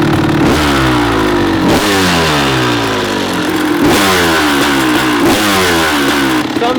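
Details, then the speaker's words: Rebuilt 1994 Kawasaki KX250 two-stroke during first-start heat cycles: crisp blips with revs hanging high and slow to drop between them; idle set too high, then lowered. "we had the light a little too high that's why i had right now i had to lower as soon as i started i heard it i was way too high so we lowered that a little bit better"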